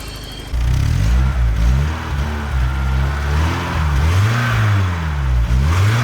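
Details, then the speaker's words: Barn-find BMW E30 off road 15 years, last started 10 years ago: engine revs up and down smoothly from idle, pitch rising and falling evenly with no misses; healthy, just needs a service. "yes ten years runs all right just need the service and she will be good"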